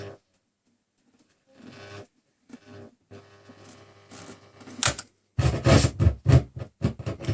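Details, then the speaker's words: Sony ST-2950F tuner: irregular scratchy crackles through the hiss as dial and aerial are moved; suspected faulty tuning capacitor, not confirmed. "Certainly seems that sounds like a dodgy tuning capacitor there."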